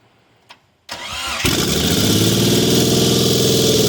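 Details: Mitsubishi 3000GT VR4 after rebuild (forged bottom end, billet twin turbos, MAF swap, big oil cooler, big FMIC): brief crank, catches quickly and settles into smooth, even idle with steady pulses; healthy.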